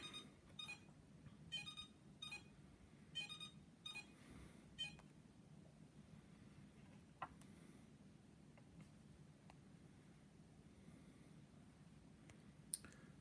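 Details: iLife V5 robot vacuum, a couple of days old, on its charging dock: thin chirps about every 0.8 s for five seconds; it does charge but something is wrong, cause unknown.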